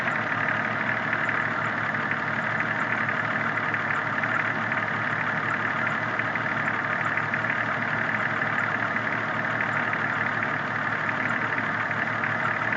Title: 93 cherokee engine knock?